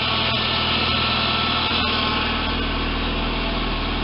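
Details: Audi A4 idling with a steady hum and whine from the power steering pump, running low on proper fluid; fixed by flushing the system and replacing the fluid.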